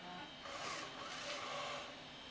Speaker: It sounds like ass, but it ejected it. Now it's an aftermarket gear, so I'm not surprised.